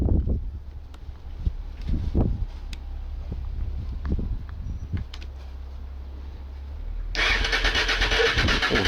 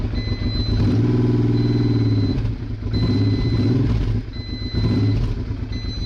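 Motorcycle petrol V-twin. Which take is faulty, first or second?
first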